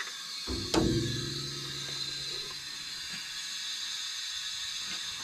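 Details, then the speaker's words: 1951 car engine after burnout damage, leak-down test at TDC on cylinder one, 80 psi in holding about 55: clunk then steady thin hiss of escaping air, possibly heard at exhaust, source not pinned down; air leak during leak-down test. "yeah i don't know where it's come from i can hear it come on your exhaust and maybe go check that"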